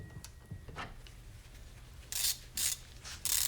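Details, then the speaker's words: Harbor Freight Pittsburgh Professional composite 3/8 in drive ratchet taken past 202 ft-lb to failure: quiet strain, then three sharp bursts of rapid clicking as the ratchet slips under load; pawl suspected, not yet inspected. "So it looks like we had a little premature slip in there. So we got some slippage going on there."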